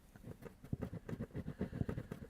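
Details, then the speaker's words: Peavey speaker with damaged surround letting light through, cone pushed by hand: dull scratchy thumps each stroke from voice coil rub; speaker ruined. "Looks like something's been eating the speaker. We've got voice coil rub."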